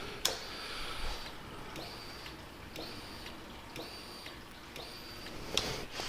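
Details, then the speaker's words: 2009–2014 Yamaha R1, diagnostic mode item 50, fuel pump relay with seat on, engine off: sharp clicks about once a second, each followed by a short high pump buzz; relay and fuel pump working. "number 50 is the fuel pump relay and it'll actuate the fuel pump in the process and you'll be able to hear it"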